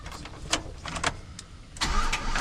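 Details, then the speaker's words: Silverado with a newly replaced ignition lock cylinder: starter spins the engine over in uneven bursts but it never catches; no dash lights except brake and battery lights; crank, no start. "It's not turning over. It's not There's no lights in the dash."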